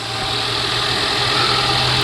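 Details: 2018 Ford Explorer running after a failed starter was tapped to get it going: steady, even idle hum with no misses or knocks; normal idle.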